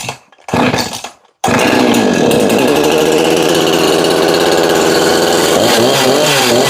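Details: Husqvarna 353 chainsaw, said by the seller to bog from a tight chain, now with the chain moving freely: catches after a couple of pulls, then holds a strong, steady high-rev scream through a test cut without bogging.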